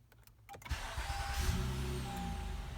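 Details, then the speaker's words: 2015 Honda Accord V6 after reinstalling the starter to fix grinding zing at the flywheel: brief clean crank catching quickly into steady idle, no grinding or zing. "That's good. That's good. Usually by the second time, it would zing. All right. Give it one more. All right. I think we're good."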